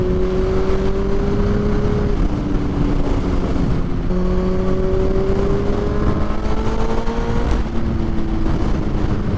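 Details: Kawasaki Z1000 motorcycle on its first ride of the season: steady strong engine note holding high revs, gentle pitch rises through gear changes, wind behind it; clean, normal running under load.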